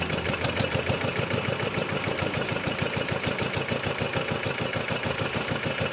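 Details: Kubota RD65DIS single-cylinder diesel after a service with the cylinder head refitted and timing set, running without exhaust and fitted with an RD85 pusher: steady, even firing at a constant fast rate with clean, regular beats; runs smoothly, and the exhaust is dry.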